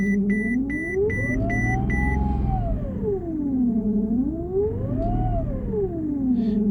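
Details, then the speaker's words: 2008 Mercedes-Benz S63 AMG V8 revved, making a whine that climbs and falls with engine speed; the given cause is engine mount failure, with some rattle under throttle. "Nick we're top automotive today we have a 2008 Mercedes s63 I'm gonna crank it up show you guys the whining noise it's making"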